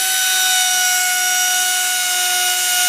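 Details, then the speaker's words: Discarded Hoover Elite carpet shampooer, smoked universal motor rebuilt just enough to run, no fan load: a shrill steady scream with hissy crackle as the brushes arc, fire and smoke; owner suspects the brushes were installed on the wrong side. "try plugging it in see what we get back up sounds better put it run for a second been screaming it's got Fire coming out of it"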